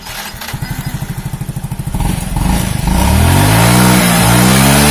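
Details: Yamaha Mio J scooter after repair of a rough, rattling engine traced to a worn cylinder block and piston: slow chuffing beat revving to a smooth steady drone without rattles or ticking; normal running.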